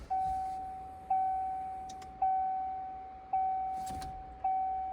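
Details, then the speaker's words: 1994 Corvette C4 project after a new negative battery terminal post gave better current: clear door warning chime repeating evenly about once a second with no dropouts, working normally. "So it was actually my negative terminal was having trouble, but we're already getting better current. You can hear the door chime, all that."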